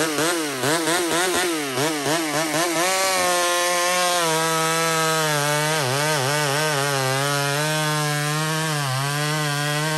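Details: Small Homelite two-stroke chainsaw cutting maple: a high buzzing scream that sags and recovers as the chain bites the hardwood. Healthy, normal operation under load.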